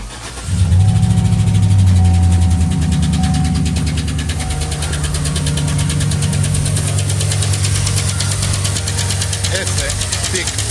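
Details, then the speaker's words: 2012 Chevrolet Silverado 5.3 V8 starts and idles with a sharp, steady tapping ticking from the top end near the engine centre, valve cover off one side: failing roller lifter tick. "y van a observar cuál es el sonido de estaca taca taca taca taca taca taca taca taca"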